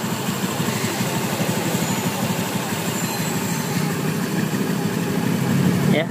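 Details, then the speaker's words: Honda Beat eSP scooter after engine rebuild fixing a rough, sewing-machine-like rattle caused by a worn connecting rod bearing and connecting rod; it starts and settles into a steady, even, smooth idle with no knocking or rattle. "sudah halus, sudah normal ya seperti ee baru lagi ya karena dalamannya ee sudah diperbaiki ya."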